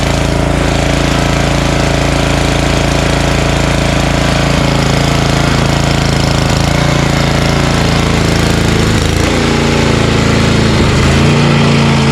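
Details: Snowblower small single at full throttle, primed and choked, steady fast beat around three and a half per second, running evenly on leftover tank fuel while being run dry for storage.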